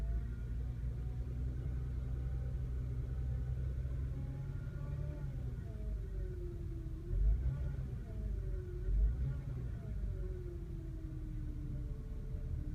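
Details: 2003 Toyota Camry: mid-pitched whine over low rumble, pitch rising and falling with speed. Whining noise.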